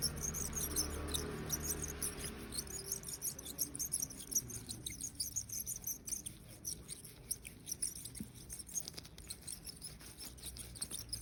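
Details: Bicycle wheelset turning: high, uneven bird-like chirps about three a second. Cause found to be a worn bearing in the freehub (cassette body); replacing the bearing made the wheel smooth and quiet.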